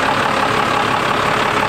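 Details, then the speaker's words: 12-valve Cummins diesel with compound turbos idling with a fast, steady light tick riding over the clatter, like "sit sit sit"; cause unconfirmed. "can hear that ticking sounds like sit sit sit sit sit sit sit sit"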